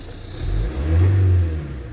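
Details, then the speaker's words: Ford Transit Connect with engine tapping, with a bearing confirmed as the cause but not yet replaced. The engine revs up and back down smoothly, and the knock disappears at higher revs. "3 days ago posting KN door went up and it's the it's the bearing so I've yet to change that what happens when I rev it"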